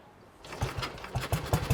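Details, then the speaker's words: James motorcycle picked up at an autojumble, first start after several kicks and a tickle: it catches and settles into a running two-stroke beat with uneven rapid pops, a bit smoky, running normally. "yes oh that sounds lovely bit smokey she runs she runs she runs"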